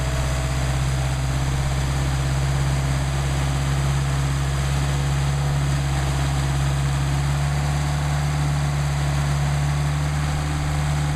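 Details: Rebuilt Solex carburetors for a Mercedes 190SL warming up before adjustment, about 99° ambient: steady, even low idle with no misses, hunting or knocks. Carbs running cleanly.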